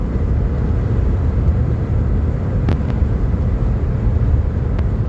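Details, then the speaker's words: 2008 Nissan Quest driving after CV axle and hub replacement: only smooth, even road rumble at steady speed with no clunk, knock or shudder; earlier vibration and noise gone. "This thing is doing a whole lot better. It's uh all the vibration, all the noise is gone."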